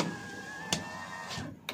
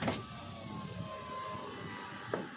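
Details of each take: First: 2023 Toyota Avanza G 1.5 automatic, front right driver's-side power window: the motor hums steadily with two sharp clicks about a second apart as the glass goes up or down, from a loose regulator rail bolt. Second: 2023 Toyota Avanza G 1.5 automatic, driver's front power window after tightening the loose regulator bolt: smooth steady motor hum through full up and down travel with no clicks. Normal operation.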